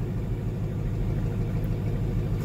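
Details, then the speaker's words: 2005 Mercedes SLK55 AMG after fuel pump, fuel level sending unit and fuel filter replacement: restarted after the drained fuel line and filter took time to refill, now a steady, even low rumble with no misses, knocks or ticks; normal healthy idle. "nice she sounds good so it did take a bit of time there for the field to get to obviously the fuel line the fuel filter whatever else that I drained seems good here we'll just let it run for a bit"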